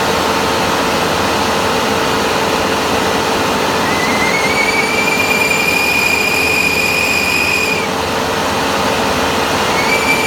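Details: Final drive with a weak charge pump keeping the drive brakes from releasing: piercing steady high-pitched squeal over machine hum, cuts out briefly then returns; final drive itself fine, fix is replacing the charge pump.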